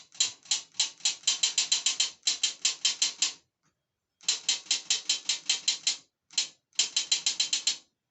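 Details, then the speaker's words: 09G transmission solenoid bench-tested on a stove, submerged in transmission oil at about 200 degrees, resistance about 5.5–6.4 ohms, pulsed from a battery: crisp, rapid clicking in quick bursts with short pauses, the solenoid snapping cleanly each time it is energized and working normally. "i know they all work but uh i haven't done it under the heat or the warm transmission oil so you can hear it"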